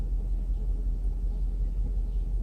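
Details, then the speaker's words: Mercedes S500 V8 at idle during a computer diagnostic, injectors cut out one by one: with cylinders switched off, a deep lumpy, uneven throb and big shake; diagnostic misfire test. "Big shake. Number 6. Oh yeah, we only have what, 1, 2, 3, 4, 5 cylinders working."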